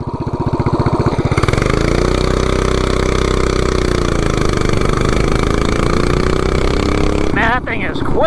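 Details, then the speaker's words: 420cc big block Doodlebug minibike with new clutch and gearing: engine flares to a high howl while speed builds slowly, clutch slipping from launch; 0-30 mph in 3.24 s. "at 3.24 and you could hear the clutch slipping from the beginning. So, I mean, this is definitely a two second bike. Once that clutch engages, this thing has like massive torque."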